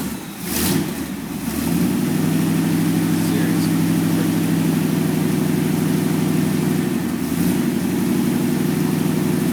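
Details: Rebuilt 1949 Cadillac 331 V8 in a '32 Ford roadster, first start after rebuild, after a couple of plug wires were changed: catches after a short crank, settles into a steady even burble with a rev; normal running.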